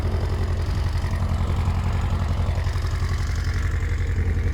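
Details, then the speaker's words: Newly bought cheap motorcycle with 22,000 miles, first start: a steady, even low thrum at a settled idle with no knocks, misses or rattles, a normal idle. "so guys first test ride the bike works very well no issues at all"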